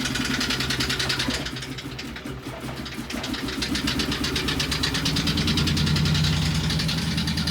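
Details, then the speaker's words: 2012 Ford Expedition: cranks and runs rough and extremely noisy, with a sharp tick-knock about three times a second growing louder with revs; a couple of unhappy cylinders, something badly wrong internally. "Definitely a couple unhappy cylinders for sure."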